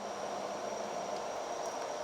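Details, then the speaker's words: Trotec Speedy 300 laser cutter, bed raised with the side up button; steady even hum with faint constant high whistle as the bed slowly creeps up — lift motor running smoothly, normal bed operation. "If you press the down button, the laser bed will go down. Currently, I'm just moving it up. As you can see, it's slowly slowly slowly moving up."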